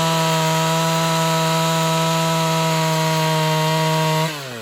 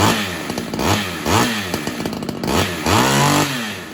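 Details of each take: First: Ported Homelite XL-76 two-stroke chainsaw, previously fuel-starving, cutting wood: steady, high-pitched scream holding even and unbroken under the cut, then winding down cleanly; unexpectedly working properly under load. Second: Ported Homelite XL-76 two-stroke chainsaw after fitting better fuel filter: revving in short surges, pitch climbing then sagging; suspected fuel starvation at high revs, filter didn't fix it, carb modification or heavier reed suspected.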